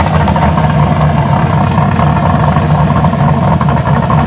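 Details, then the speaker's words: 1983 Buick Regal with fresh LS1 swap (MS3 cam, 5.3 truck heads, mid-length headers, dual 3" exhaust, SLP bullets), just cranked: deep, loping, choppy idle from the big cam, steady and strong; healthy cammed V8 idle. "It's got a very nice cam in it. Sounds pretty good."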